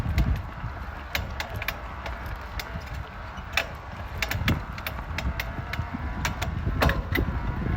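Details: Specialized Levo e-bike drive unit: irregular sharp clicks and clunks over a low rumble with creaking between, when pedalling and when spinning the cranks, almost as bad with power off.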